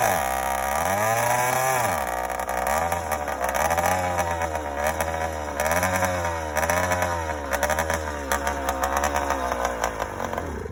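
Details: Yamaha YD100 two-stroke, first startup with Dio reed valve, newly ported cylinder and windowed piston, untuned, phone in rider's pocket: crisp revving up and dropping back cleanly in repeated blips, no misses; starts easily, sounds good.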